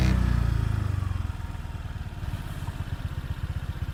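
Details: Honda PCX scooter on center stand settles from a blip into a steady idle putter with a low buzz riding on it; source of the buzz unknown.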